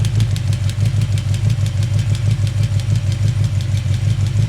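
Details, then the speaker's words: Chevy 350 idling during hydraulic valve adjustment, rocker nut backed off half a turn: crisp light ticks riding steadily over an even idle rumble; valve tapping from excess lash before tightening. "So there's that half turn. Now it should start tapping. Yep. And I don't know if you can hear it there."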